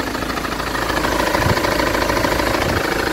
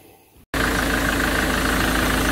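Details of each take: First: Ford Transit diesel at idle, before the crankshaft pulley was replaced: a steady knock about three times a second, not caused by the ignition coil; a shop diagnosed a noisy crankshaft pulley. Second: Ford Transit after replacing the crankshaft pulley (ignition coil ruled out): fires into steady, even idle without knocking or ringing from the belt end; engine quieter, old worn pulley was the cause.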